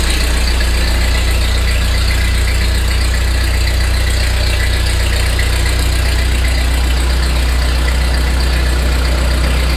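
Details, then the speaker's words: 1948 Ford 8N tractor, first start after a complete engine rebuild, in neutral, choke on, a little throttle, strong oil pressure. Steady, even low idle throb with a regular beat and no knocks, ticks or misses: normal idle. "foot throttle works well excellent oil pressure heck it's got the G gauge Peg that idle that ain't bad so far so good proof that it runs"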